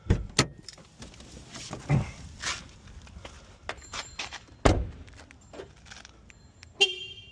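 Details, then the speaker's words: 2002-2004 Acura RSX after keyless entry module (38385-S5N-A01) replacement and remote reprogramming: sharp thunks from door lock actuators locking then unlocking with each remote press; remote locking works normally. "Locks, unlocks. So that's it."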